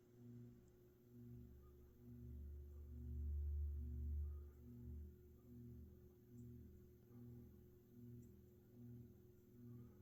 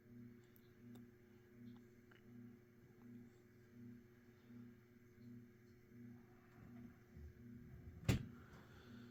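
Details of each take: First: Mid-to-late 1980s Saff Enterprise Flush Polo 52-inch three-speed ceiling fan on low, one blade and blade irons knocked out of alignment: steady low hum with a soft pulsing wobble about twice a second, faint audible bearing noise. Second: Mid-to-late-1980s Saff Enterprise Flush Polo 52" hugger ceiling fan, 3-speed and reversible, on low speed (a bit fast): a steady low hum with motor harmonics and even pulsing, no rubbing or clicking. Normal fan motor hum.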